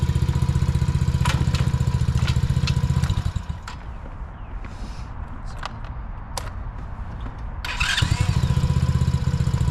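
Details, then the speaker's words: Single-cylinder ATV after carburetor repair and slight throttle adjustment: even, steady putter at idle, shut off, then restarts promptly and settles into the same smooth beat; runs better than ever. "all right sounds like it's that one right now that sounds good"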